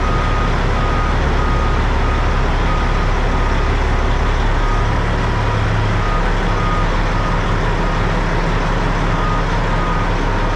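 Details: Truck backed out of the building after exhaust work, recorded indoors so slightly distorted: even low diesel rumble under a reverse alarm, exhaust tight and much quieter with no puffing or leaks; normal running.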